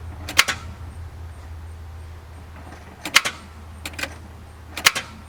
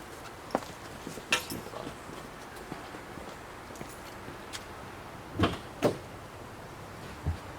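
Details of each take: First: 1997 Ford Crown Victoria Police Interceptor, battery 12.31 V: turning key gives a few sharp separate clicks with no cranking; voltage drop between battery post and cable shows a bad battery cable clamp. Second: 1997 Ford Crown Victoria Police Interceptor with click/no-crank despite a good battery: after replacing a bad battery cable clamp, a few light clicks, then the engine starts and settles into a steady run.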